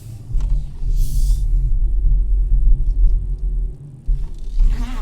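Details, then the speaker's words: 2017 Hyundai Elantra with a new short block and machined head, which had developed an intake-cam valve-train noise and a cylinder 3 misfire: after replacing the ignition coil, steady low idle with no ticking or rattling; running smoothly. "okay take two so I install our ignition coil let's see if you can hear that noise okay no noise which is good"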